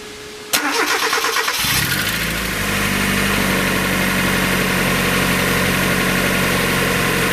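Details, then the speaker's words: 1994 Mazda Miata, about 56,000 miles, first start after new timing belt, water pump, radiator, hoses, thermostat and seals: quick crank, clean catch, even steady idle with no misses, knocks or squeals; sounds better than ever. "need that radiator I think sounds better than it's ever done before"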